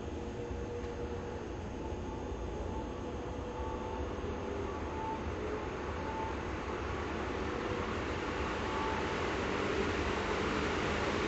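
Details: 1954 Emerson 16-inch three-speed oscillating table fan running on slow speed, filmed at an angle so the wind does not hit the microphone. It gives a smooth, even whir with a soft steady hum and no knocks or rubbing. The oscillation screw is jammed but the gearbox works. It runs normally.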